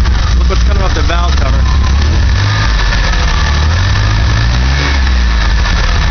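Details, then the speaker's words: DeLorean engine running roughly, revs sagging and surging under throttle as if starving for fuel, close to dying; smoke from the valve cover, owner suspects condensation/moisture burning off; one plug not pulled; cause unconfirmed. "here TR some throttle [Music] again sounds like a starving"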